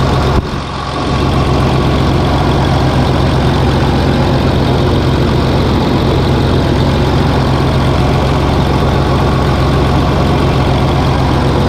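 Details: John Deere 8320T tractor, 8.1 L diesel, idling with the valve cover off after the overhead valve adjustment: deep, even idle with a steady low rumble and no ticking or knocking; the engine sounds healthy.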